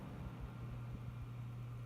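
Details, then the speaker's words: New PC build, four PWM case fans on a fan hub switched from DC mode at full power to PWM mode, recorded close to the case with EarPods; a low, steady, even hum with no rattle or buzz. Much quieter, normal fan operation. "So much quieter. Beautiful."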